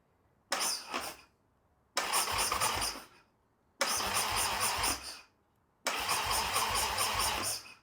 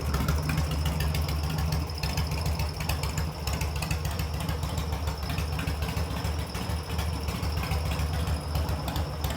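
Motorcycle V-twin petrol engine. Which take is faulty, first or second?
first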